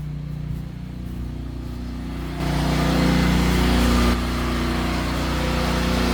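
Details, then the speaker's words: Natural-gas home standby generator at the start of hurricane season, just after house power is switched over to it: a steady, even low drone that firms up as the house load comes on, with no knocks or hunting; healthy running under load. "And you can hear the generator just cut on. All right, awesome."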